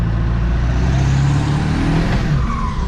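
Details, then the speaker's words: 7.3L Powerstroke diesel truck with newly installed stage 2 KC 300x drop-in turbo, tested under full throttle: deep, strong, even roar building with speed, no hiss of a blown boot; turbo spool sounds healthy. "Feels good. Ladies and gentlemen, you hear that? Sounds pretty good. Sounds pretty good."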